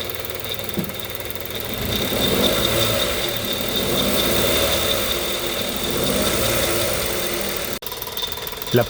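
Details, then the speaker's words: 1.0 G3LA petrol engine in a Kia Picanto/Hyundai i10 with only 70,000 km, idling with an irregular metallic ticking rattle from a worn timing chain; the noise persists with the accessory belt removed. "volevo farti vedere un problema molto frequente sui motori 1000 g3la che monta la Kia Picanto e la Hyundai 10 ovvero il rumore della catena di distribuzione che è un fenomeno abbastanza frequente con bassi chilometraggi"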